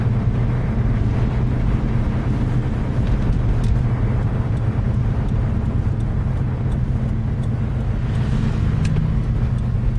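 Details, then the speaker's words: 1997 Suburban after installing a Volant Performance intake, driving: steady low engine drone with no whistle or hiss; the old intake leaked air and whistled like a supercharger, now sounds sealed and normal. "the engine noise does seem a little bit better than it was before I'm not getting as much of like loads whistling which I was getting with that old intake"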